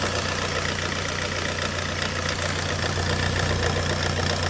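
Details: Ford Connect diesel idling roughly with an uneven, stumbling misfire; the injectors showed high return (back-leak) flow and were removed for overhaul.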